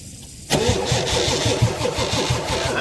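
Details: Ford 7.3 Powerstroke diesel with very low batteries on a jump pack, with a shorted fuel heater and a fuel leak from a cracked cap: steady crank about five beats a second that never fires; no start.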